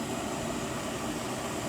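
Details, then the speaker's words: Natural gas tankless water heater used as a pool heater, cycling on by timer, water at 82 degrees: steady even roar of the burner firing, no pulsing, popping or rumble; normal burner operation. "You guys will hear it cycle on right now, which is pretty cool."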